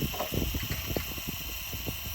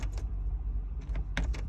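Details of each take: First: MCR machine fuel lift pump with the jump pack reconnected and ignition cycled, compared with the weaker sound on a flat battery: a strong, steady high-pitched buzz for about two seconds that cuts off cleanly. Normal lift pump at full strength. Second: MCR machine that won't start, ignition on and key turned to start: no cranking and no starter spin, just bursts of sharp relay clicks from the rear. A flat battery needs a proper jump start.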